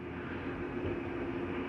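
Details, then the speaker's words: Jayco Eagle 340DROK RV slide-out retracting normally: steady electric drive hum with a low rumble and a little clunk at the end as the mechanism stops, no grinding. "you'll hear a little clunking noise at the end that's okay to hear it's nothing grinding that's just the slide mechanism telling itself not to come in any further"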